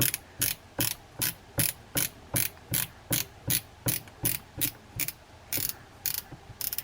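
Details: Daiwa Lexa 300HL baitcasting reel after cleaning out dirt during service: crisp, regular clicking about two and a half times per second as the spool turns; clicker ratchet working normally, no grinding.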